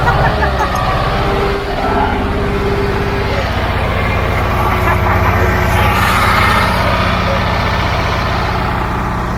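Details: Old Caterpillar diesel just started after bleeding injector lines; steady low rumble with even beat settling into clean idle, no misses or stumbles; running properly.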